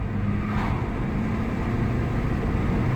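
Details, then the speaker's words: Ford Mondeo Mk4 1.8 diesel, previously P2263 boost fault and limp mode, after carbon cleaning freed a seized part: smooth steady pull under road noise, no hesitation; full power restored, about 15 miles driven. "Plenty of power there. Nothing wrong with that."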